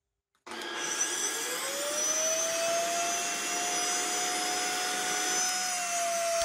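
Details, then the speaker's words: Tineco iFloor3 wet vacuum, two years used without maintenance with bleach in clean-water tank; blocked suction motor scraped, cleaned and WD40-treated rather than replaced. Now works but shrill squeal rising as motor spins up over airflow rush: abnormal motor squeal. "mais bon il fait un bruit qui n'est pas normal mais par contre il fonctionne"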